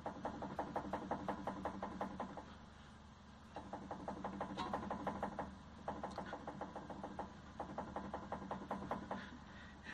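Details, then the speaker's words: Hyundai HB20 suspension rocked: sharp rapid knocking in bursts of about three per second from a worn passenger-side stabilizer link, easily mistaken for a steering rack fault. "E aí tá fazendo o maior barulho é justamente a beleza do lado do carona então toma cuidado para não se enganar"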